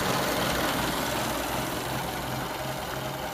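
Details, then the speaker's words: Restored 1923 Fiat 501, radiator newly remounted: slow, regular idle beat with even rhythm and no knock or misfire, running really well. "just running really good"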